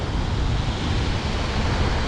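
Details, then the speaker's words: York rooftop unit after converting ECM blower to conventional universal fan motor: relay clicks, then steady even low rush of air with no knocks, rattles or squeal; new blower running normally. "All right, blower's gonna come on immediately. I can already hear that relay engage. There's my blower."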